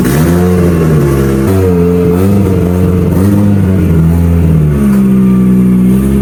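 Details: Mitsubishi Evo turbo build for dyno prep after home upgrades, already driven: even idle with a few light blips, pitch rising and falling cleanly, no ticks or rattles; sounds good, fires up good, healthy before boost leak test.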